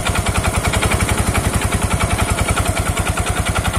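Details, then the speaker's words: Yamaha Mio scooter CVT: a rapid, uneven petok-petok knocking while running. It is caused by a loose slider and worn roller guides in the variator. "ini inti permasalahan yang timbul suara petok-petok yaitu bagian ini ini terlalu kendor tidak molor bernyali"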